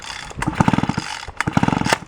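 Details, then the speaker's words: Free roadside small engine, pull-start attempt: rapid compression clatter that never fires. A plug test with a ground jumper showed no spark; the switch is suspected. "we got nothing for spark so uh that is the reason why this guy is uh DOA as it is"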